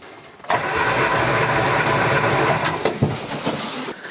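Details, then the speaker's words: Classic Mini four-cylinder, cold engine, cranked with plugs out for compression test: steady even starter whirr, no labouring, all four cylinders around 12 kg; normal cranking. "what I can say is that the compression test is really good all four cylinders are having around 12 kilograms and that is good and that is a cold engine so I'm quite happy with that"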